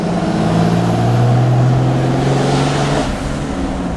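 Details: Diesel truck after towing, boost leak suspected from a loose clamp, clamp re-tightened; third gear under load on test drive: steady even low drone with no whoosh or hiss from the boost side; healthy after fix.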